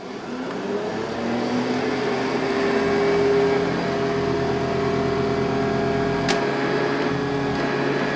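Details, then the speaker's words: Metal-base Hoover model 1070 upright vacuum running on genuine Hoover HEPA A bags, recorded with a studio mic; smooth steady motor hum with even airflow rush, no knocks or scraping; normal, very quiet running. "I forgot how quiet this machine was it is so quiet"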